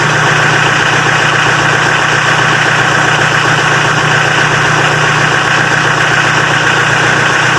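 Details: Mitsubishi L300 diesel after glow-plug heating system repair that cured hard cold starting: steady, even diesel clatter at idle with constant tone, no misses or hunting; healthy idle.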